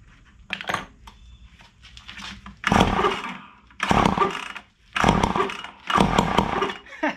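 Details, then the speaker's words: Ryobi SS30 two-stroke string trimmer, piston previously seized, freed with air compressor: catches in short raspy bursts about a second long and dies each time, but fires; engine alive. "you heard it that thing barked [Laughter] that's so 10 out of 10"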